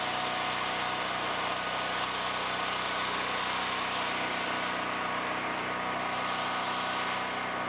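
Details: Generac GP7500E generator after carburettor repair for a no-start, started on choke: steady even drone with no misses, surges or knocks, holding speed smoothly; normal running.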